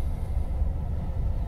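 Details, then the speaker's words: 1993 Ford Econoline van spewing black smoke, idling in park: deep, uneven low rumble with a loping beat, running rough; throttle position sensor suspected, not confirmed. "well then this whole exercise is somewhat useless and it is running yeah it's already running rough come on give me a light"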